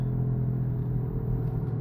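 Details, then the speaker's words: Car with apparent CVT driving in gear at about 1000 rpm: steady low droning whine under road rumble, pitch rising with speed, rolling-dependent and persists in neutral with engine off; worn wheel hub bearing. "the higher the speed the higher the pitch noise and my transmission is shifting you can gauge that from uh your rpm"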